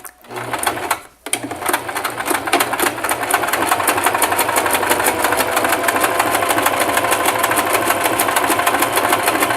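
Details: Singer Simple 3232 (also called 3252) sewing machine sewing a wide zigzag at stitch width 5: fast, even needle chatter at a steady rate with no knocks or catches; stitching normally.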